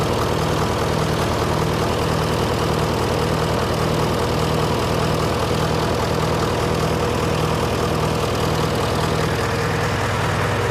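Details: John Deere 401C diesel idling in neutral, with a cracked block and suspected liner O-ring leaks. Uneven, lumpy beat with one pulse missing. By touch, cylinders 1–3 are hot but 4 is stone cold: a dead cylinder from a faulty injector.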